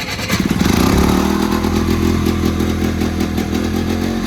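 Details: 1970s Attex ST300 6x6 small engine after the rectifier was remounted and a fuel-pump ground fixed, cranked without the fuel pump: fires up, revs briefly, then settles into a steady fast putter with an even beat; running properly.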